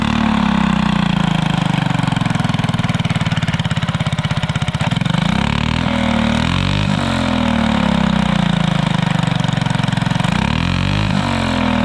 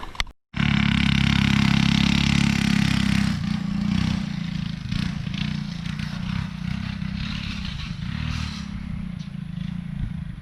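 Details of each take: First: Alcohol-fuelled 212 single-cylinder go-kart engine with new torque converter, fuel left in system three months, fires up and revs cleanly, revs climbing and falling smoothly with no misses or knocks; running healthy. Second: Go-kart with alcohol-fuelled 212 engine and newly installed torque converter: engine note drops under a rattly, scraping clatter about three times a second while driving; so much torque the drive chain bent and twisted, possibly installed the wrong way round.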